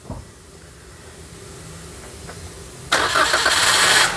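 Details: Toyota Calya/Daihatsu Sigra that cranked but wouldn't start, with check-engine light on, after a fuse was refitted: quiet click, then the engine fires at once and settles into a strong, steady run; normal start.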